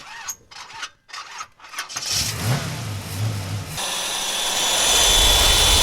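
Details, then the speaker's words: Generac 5000 W generator with Briggs & Stratton 10 hp engine, sat unused for years; a few pulls, then it spins over freely with an even chugging rhythm and no binding; engine cranks freely, not seized. "Before I get any further, I just want to make sure that that it's going to crank over. Okay, it does. Good. Now, I know the engine's not locked up."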